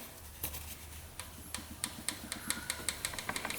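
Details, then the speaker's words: 2005 Kawasaki Prairie 700 ATV, engine stopped, rear cylinder valves just adjusted to spec: crisp light ticks about five per second as rockers are worked by hand; clearance now correct, compression still 50. "All right, rear cylinder valves are now within clearance, and those are set to spec."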